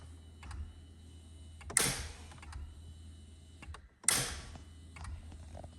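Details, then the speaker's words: 2007 Mini R56 Cooper no-crank: two isolated clicks two seconds apart, no cranking; failed engine ground at the right engine mount melted the CAS module's starter-relay flyback diode and trace, code A0C1; diode replaced with Vishay EGF1D. "that diode in the middle melted Trace melted and this is the uh relay that powers the starter and that is a flyback diode that stops well stops bad voltage from melting the rest of the module"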